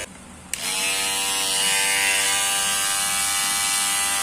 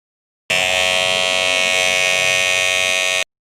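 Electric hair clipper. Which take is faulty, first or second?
second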